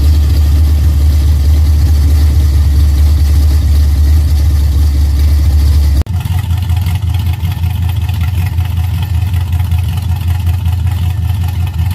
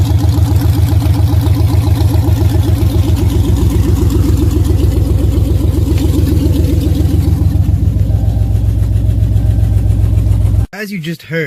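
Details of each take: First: Dodge Challenger V8 at idle before the repair: loud deep lopey exhaust with a loose metallic rattle caused by loose clamps on the headers. The headers were later fixed. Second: Dodge Challenger Super Bee V8 after fixing loose header clamps: even, steady idle with deep regular beat and no metallic rattle; exhaust header rattle fixed.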